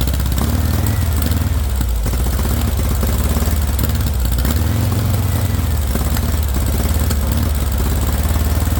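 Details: VW engine with straight pipe, first startup on starting spray: low, uneven putter that surges and sags, running only as long as the spray lasts; no fuel pressure, fuel not reaching it, owner suspects a bad fuel pump.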